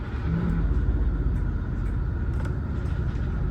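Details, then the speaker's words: Onboard generator of a salvage Winnebago RV, probably unused for a while, just started; steady low drone with an even beat and no sputter; normal running. "That sounds good. Sounds like it started. It's going."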